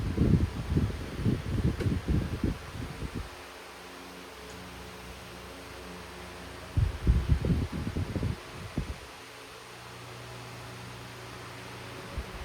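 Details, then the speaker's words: Hunter 12-inch oscillating desk fan switched into oscillation mode after full-power run: low steady motor hum with rushing gust of air sweeping past about every six seconds as head turns; runs smoothly. "Alright, so let's go ahead and run it in oscillation mode."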